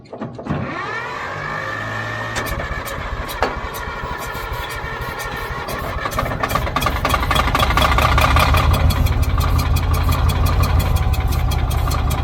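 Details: Old Caterpillar D6 dozer: the starter grinds briefly, then the diesel catches and settles into a steady, even chugging beat that builds slightly. Normal start and idle.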